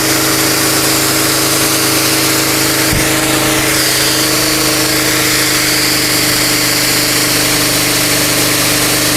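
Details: Mitsumax 10 hp vertical diesel on a 3-inch high-pressure water pump (3,000 rpm rated), full throttle: steady drone under loud rushing spray hiss, even pitch, no misses or knocks; normal running under load.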